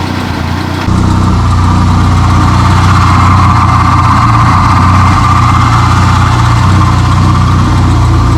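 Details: 2021 Honda Civic Type R, totaled and rebuilt with a rebuilt transmission, first start after the CV axle install: a loud, low, uneven, lumpy idle instead of a smooth hum, likely a misfire. The owner suspects mistiming; the scan shows MAF sensor and PCM codes.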